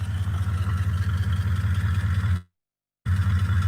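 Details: Car's exhaust heard at the rear by the trunk: a deep, steady, even idle rumble of about four pulses a second, with a brief dropout. The exhaust sounds healthy.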